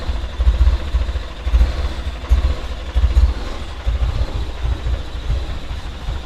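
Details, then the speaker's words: 1995 BMW E36 318i petrol engine struggles to idle, with a low rumble that surges and sags about once a second, though it drives fine. The owner suspected a clogged idle control valve, but a split vacuum hose at that valve was found and fixed. "I'll just start it up. And it's struggling to idle, you can hear it, it's not idling very well."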